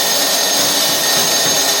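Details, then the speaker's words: Curbside-found snow blower, electric starter powered through an extension cord: high-pitched steady whir with no low compression beats; starter spins but is not turning the engine over. "Well, is that even cranking over? I don't think it is."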